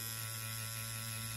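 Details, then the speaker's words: Vader tattoo pen with a 3-liner needle on a Critical power supply at 8 volts: steady, even high buzz with mains hum underneath, no stumbles or rattles; runs and hits well, normal running. "On entend le bruit. Écoutez bien ce bruit. Pour moi, elle pique, je la sens sous ma main, sachant que ça gratouille."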